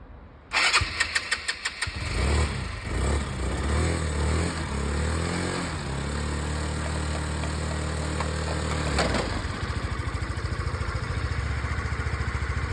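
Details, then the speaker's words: Scooter restarted after about two years unused, plug removed and dried: quick cranking pulses, catches about two seconds in, revs and settles to even putter; owner thinks stale fuel plus flooding from repeated cranking caused the no-start. "ma solution je pense c'est que bah c'était un problème d'essence trop vieux dans le moteur le fait que j'ai secoué et tout ça ça a bien aidé"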